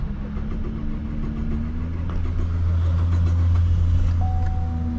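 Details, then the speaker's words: 2012 Chevy Impala crank-no-start, new crankshaft position sensor already fitted, low battery voltage: engine catches a moment then dies to a low hum; ECM code shows lost communication with fuel pump control module. "Lost communication with fuel pump control module. Well, that's definitely gonna cause the issue."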